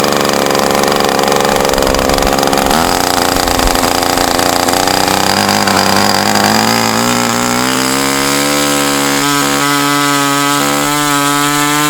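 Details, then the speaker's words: Super Tigre model two-stroke on OS number 8 glow plug: harsh buzzy scream climbing unevenly as throttle opens; transition improved after returning spray bar to original position, cause unconfirmed. "all I know is the transition issue I was hearing with this did get better when I put the spray bar back up to where it was when I got it"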